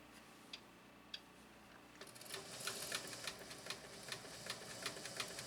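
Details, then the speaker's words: Canadian-made Singer sewing machine before any servicing, drag removed, pedal nearly full down: speeds to about three stitches a second with an uneven clattery tick; clunky, sluggish running, weak power. "That's almost all the way down, folks. Does sound kind of clunky, doesn't it?"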